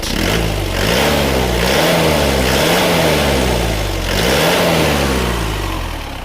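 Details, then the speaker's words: Isuzu Panther Grand Touring Euro 2 diesel after repair for blow-by and heavy oil use, warm at 79°C after a 7 km drive, revved twice: clean, even, smooth, minimal vibration, no knock or smoke. Normal diesel revving. "Nah, ini suara mesinnya sudah halus rata. Mesin juga minim getaran."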